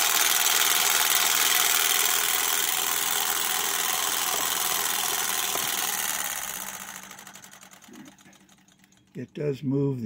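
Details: Ciné Kodak Model A 16mm movie camera, partly torn down, hand crank at full speed driving sprocket, flywheel shutter, take-up reel and footage counter: fast, even whirring clatter with no catches or grinding, then winds down; healthy mechanism.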